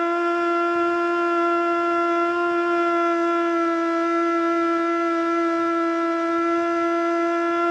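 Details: Older Federal Signal Model 2 siren (old CD box), Princeton NE, alert test: steady tone well below full pitch with slight waver; rotor not coming up to speed; owner suspects worn brushes.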